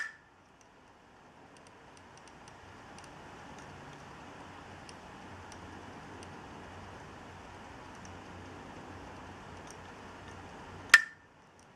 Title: Clicking noise (HDD from Dealextreme) video 2